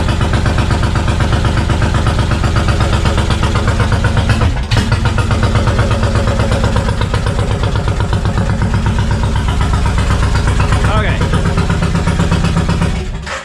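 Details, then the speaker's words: 1999 Suzuki Intruder VL1500 V-twin, bought not running after long sitting, fresh gas, choke on, carb condition unknown and leaking fuel: lumpy uneven idle about four pulses a second, sounding like running on one cylinder; owner suspects carb problems. "she's running uh it sounds like it's running on one cylinder so I'm gonna go ahead and assume there are some things going on with the carb right now"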